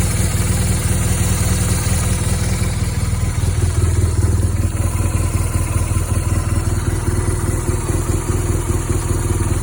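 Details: 2010 BMW R1200GS Adventure at 27,000 miles idling: deep, lumpy twin-cylinder pulse with a light clatter over it; cause of the engine noise unexplained.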